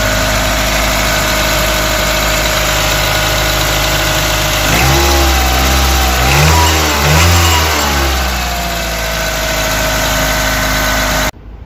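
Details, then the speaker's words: Mitsubishi Outlander 4G64 petrol engine idling with a light, fairly regular knock that quickens on revving; the timing belt hydraulic tensioner rod has lost pressure and knocks, and the noise is gone with a new tensioner. "получается стучит вот этот шток так как давления в НМ уже нет он не держит и образуется стук в этой части"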